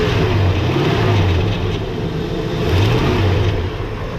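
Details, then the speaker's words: LT1 V8 with its original Optispark cleaned and resealed after oil got inside, run with no water pump and no coolant: a deep rumble that rises and falls smoothly on throttle blips with clean pickup, though a shaking-type noise is noted. "Sounds pretty good."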